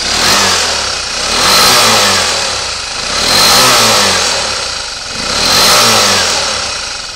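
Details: Suzuki Burgman AN125 (2007–2009) engine with 15 kg compression, variator and clutch removed: revs rise and fall about every two seconds, crisp and even with no knock or white smoke; top and bottom end sound healthy.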